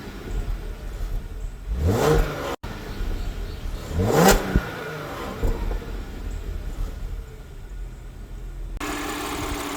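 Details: Audi 3.0 TFSI petrol V6 idling with two quick clean throttle blips; healthy exhaust, no leak ticking.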